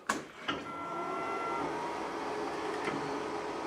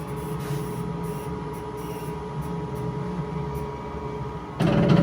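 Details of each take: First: K40 laser cutter: short clicks, then a clean motor whine as the axis travels and settles into a smooth, even hum; the gantry homes normally. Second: K40 laser cutter (upgraded third version): rough rattling knock repeating about four times a second as the gantry moves forward and back on the Y-axis; owner suspects the belt skips; loose Y-axis gantry belt, to be adjusted.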